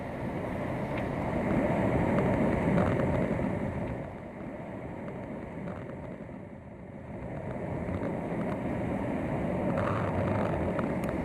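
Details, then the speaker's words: Malibu pool/spa heard through a LeakTronics PoolScope hydrophone at the light niche: steady hiss of rushing water with gentle surges. Water is escaping through a crack behind the pool light conduit, confirmed with dye. "That sound you heard was rushing water rushing through the back crack in the light conduit."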